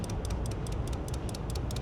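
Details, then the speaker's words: 2006 Ram 3500 with a dead battery that cranks but won't fire: with the key on and the engine off, sharp even clicks about five per second as the relay chatters once reconnected; a poor ground is suspected. "The relay's clicking."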